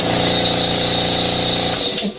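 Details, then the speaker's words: New Makita MAC700 Big Bore 2.0 HP air compressor (slower RPM, bigger bore, sold as quieter), started via its pressure switch for the no-load run with the drain cock open: loud steady high-pitched drone over an even motor hum, then a clean wind-down; normal running, no knocks. "The big selling point on this was that it was a slower RPM but a bigger bore, and it was a quieter unit."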